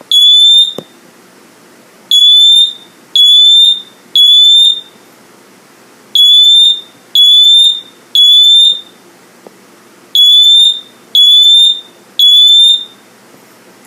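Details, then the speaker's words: First Alert Atom smoke detector (CR2 battery), test button pressed: loud piercing chirps in groups of three with gaps, a temporal whoop tone rather than a straight tone; normal test alarm. "right it's like a like a whoop tone it's really cool"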